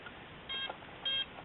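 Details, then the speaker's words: Trex 450 Sport helicopter start-up: after the receiver binds and initializes, the ESC gives short high-pitched beeps in two bursts showing its settings; normal initialization. "ensuite tu entends les bips de l'ESC petite donne dans quel paramètre tu es pendant ce temps on remet la canopy"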